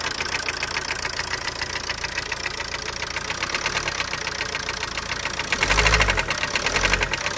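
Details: 2009 Ford Focus Mk2 1.8 TDCi diesel, 225,000 km, idling: rapid sharp ticking knock from the engine top, with vibrations at low rpm and first minutes after cold start; belt, injectors, timing belt checked OK, cause unknown.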